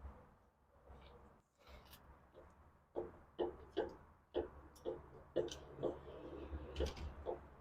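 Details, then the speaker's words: Worn driver-side lower ball joint on a 2000–2007 Toyota Sequoia/Tundra, replaced only about 40,000 miles earlier, gives dull metallic clunks roughly once a second as a pry bar levers the tire upward; the passenger side is tight. "you can even hear it clunking while I'm doing this and the bad thing about this is these ball joints were actually just done about 40,000 miles ago"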